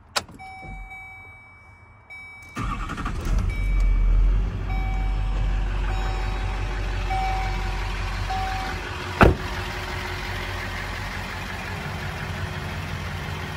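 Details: 2005 Chevrolet Silverado 2500HD, 6.6 Duramax diesel, 20,000 original miles, 4x4 automatic. A short crank, it fires right away, revs briefly, then settles to a steady, quiet, smooth idle with no knocks or misses.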